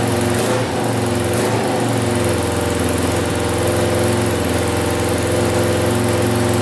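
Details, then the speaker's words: 2000 Can-Am DS650 quad, single-cylinder 650cc, freshly rebuilt top end, restarted after brief oil leak: steady fast idle, even beat, little cam chain clatter left; idle sitting high, owner suspects carburetor needs adjusting. "it is idling still a little bit high i feel like so i might work on that carburetor a little bit and see if we can get it to idle a little bit lower"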